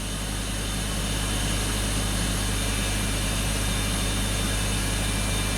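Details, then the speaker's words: BMW X5 petrol engine, previously misfiring badly, now idling evenly with steady low rumble and no misfire; coolant temperature 45°C, oil 42°C, intake 46°C, cause still unexplained. "Absolutely no misfire at all. This doesn't make any sense at all. This car has no misfire whatsoever right now. Runs perfect."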